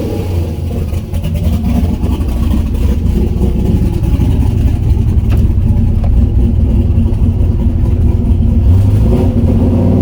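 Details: Turbo LS-swapped Mazda Miata on its first start with the new tune and coupler, downpipe unfinished, engine not yet warm: deep, uneven, lumpy burble at idle. It runs very rough; owner notes fuel pressure needs to come down and changes are needed.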